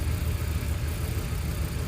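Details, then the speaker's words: 2010 Toyota Camry 2.5 at idle: deep, lumpy, uneven thumping that shakes the camera, near stalling. Bank 1 misfires on cylinders 1 and 2, worst on 1, not spark-related. VVT angle reads 37-39% at idle, fine when revved; owner suspects excess VVT advance. "okay but it's been a super rough right now you see the whole cameras everything is shaking you see that right"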